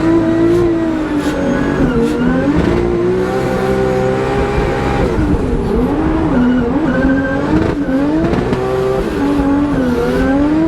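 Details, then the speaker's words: Drift race car at high revs through the drift, nitrous off, seems to break up up top like a false limiter, sounding like a bad misfire; the team later found cracked porcelain on a spark plug. "Freddy, I'm pretty sure my car is breaking up really bad up top. Like, it sounds like it's misfiring really bad."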